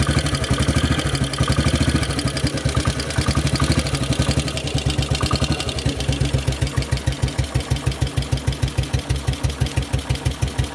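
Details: Model 8 motorcycle engine, recorded cold then hot, with heavy evenly spaced thumps slowing to four or five a second as revs settle; knock worse at 40 mph and above, cause unknown.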